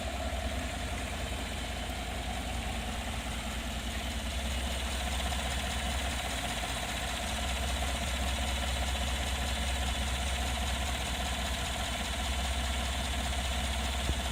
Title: Weird noises part 2